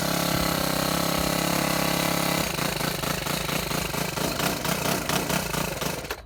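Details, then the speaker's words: Shindaiwa HT2510-40 hedge trimmer, C4 low-emission engine, after a new carburetor and a new clutch: it buzzes high and even, then drops into rough, uneven pulsing and cuts out. Poor running and low power, cause unknown. "Okay, it runs terrible. going to have to go in the shop and check some things."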